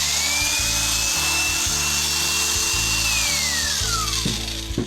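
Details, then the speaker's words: Oster Clipmaster cattle clipper on the bench after cleaning, yoke and block replacement: steady motor buzz with a fast, slightly uneven rattle from the blade head; motor sounds fine, head lacks grease. "so the motor sounds fine. The head needs some grease. I could hear it's making a little rattle sound."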